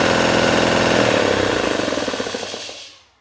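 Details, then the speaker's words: Three-phase air compressor motor run from single-phase 230 V through a VFD set to 50 Hz; even, rapid pumping beat at steady pitch, then a smooth coast-down to silence, with a smoother run-up than normal, running healthy. "motor running on a single phase from it's got a single phase in through the vfd producing three phase for the motor"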